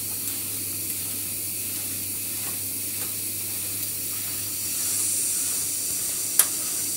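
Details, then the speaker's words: Old Saunier Duval boiler with fault 05, hot water at maximum, full firing: steady even hiss of water and flame with no banging or kettling; heat exchanger quiet, not clogged. "Même à pleine puissance, le corps de chauffe ne fait pas de bruit."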